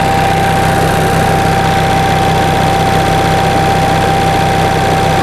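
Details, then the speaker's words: 1945 Onan generator idling hot after a fuel-pump kit rebuild, 25 psi oil pressure, engine at 127 degrees: a steady, even low thrum with a constant whine, no knocks or misses. Normal idle. "so i think we're ready to uh start it up starts right up nice the engine is hot now we got 25 pounds of oil pressure"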